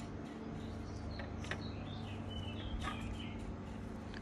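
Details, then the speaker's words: PNY RTX 3060 GPU fan after repair by lubricating the motor and pin with sewing oil: soft steady low hum, no rattle or grinding, fully silenced. "silent guys fully silenced we fixed it"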